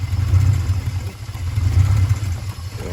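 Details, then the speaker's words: 1982 Porsche 928 V8, after sitting in a barn since 2016 on 2016 gas: deep idle surging about every 1.5 s, never settling; hunting idle, idle seems set too low, fuel pressure low (~22), owner suspects the fuel pump. "So it's idling. It's searching for an idle. I wouldn't call it idling. It's searching for an idle."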